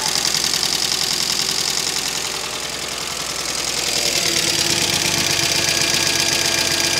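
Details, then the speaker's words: 2005 Mercedes ML350 (W163), bought cheaply with no oil, in cold weather after refuelling: light, fairly regular ticking, a couple of clicks a second, over a steady idle with loud hiss; owner hopes a hard drive clears the click; source unknown. "that I'm hoping that click clears up we're going to take it for a little Italian tuneup and hopefully that'll do that"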